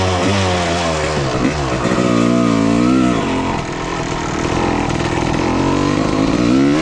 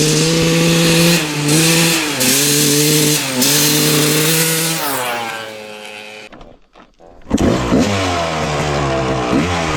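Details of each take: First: 1995 Honda CR250 two-stroke dirt bike, previously bogging, run with the original CDI and stator swapped back in: revs climb and drop cleanly with crisp pickup and no hesitation. Normal running, so the CDI and stator are ruled out; the replaced gas line or flywheel is still suspected. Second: 1995 Honda CR250 with the old flywheel reinstalled: revs climb, then sag and nearly die before recovering. The throttle bog returns, tracing it to the faulty flywheel.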